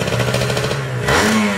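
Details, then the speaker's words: Kawasaki Ninja SS two-stroke motorcycle restored after being submerged in a flood for three days: an even buzz that climbs cleanly on a throttle blip with no knocks or rattles, noisy before the restoration and now smooth. "neh halus banget ya bosku"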